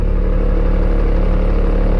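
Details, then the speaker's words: Caterpillar 3116 bucket truck in cold weather, unfolding the upper and lower booms on cold hydraulic fluid: a steady engine-driven drone with a fast tick and chirping from the hydraulic pump. Cold fluid risks cavitation. Hydraulic pump chirping and ticking. "So that you can hear how it sounds before and after chirping. There it goes. And you can hear the ticking."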